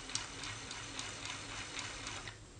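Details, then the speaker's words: Homemade hand-crank generator built from scrap electronics, 5 V USB and 13.5 VDC output, with lightly greased gears and cranked moderately: light, even gear ticking about four times a second, no grinding; runs smoothly. "You see how nice and smooth this is? I have a little bit of grease on the gears. I'm not turning too fast. And that motor is spinning well."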